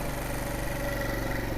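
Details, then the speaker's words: Wolf Islander 50cc Vespa-replica scooter with a GY6 engine, running after repair on poor gas, idling steady and even with no misses or rattles while the auto-enricher warms it up, then switches off. Normal warm-up idle. "so we're gonna let it do its little warm up and put the kickstart away engaged it kind of wait for the auto enricher to come off well you can smell it's enriching the fuel right now there we go auto enricher's coming off"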